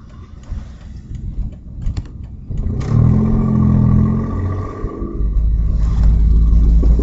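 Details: Audi A4 2.8 12V revving: deep uneven chuffing rumble swells with revs, tractor-like puff under throttle; exhaust leak right after flex pipe, before the cat, leaving one bank open; later repaired.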